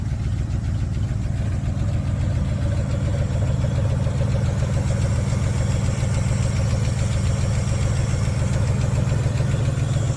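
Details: Dodge D150 4x4 with 318 V8 idling with deep steady rumble and fast light lifter tick on top.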